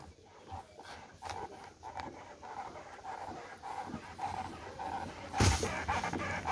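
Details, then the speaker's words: Honda Vario 160 scooter front fork pumped with front brake locked: short rubbery squeak about twice a second, owner unsure if normal; front fork squeak on compression. "dengerin ya ngek ngek ngek ngek ngek gitu ya kedengeran nggak temen nya Mungkin kalian tahu memang ini Normal atau enggak ya"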